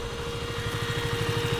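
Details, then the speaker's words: KTM Duke 125 at idle after fitting a second-hand radiator, warmed to about 93°C: cooling fan cuts in just over 90 degrees with steady whir over soft even single-cylinder pulse, then stops; fan and gauge working, no leaks. "Yeah, you can hear it now. Just over 90 degrees it kicks in. Oh, there we go. It stops again."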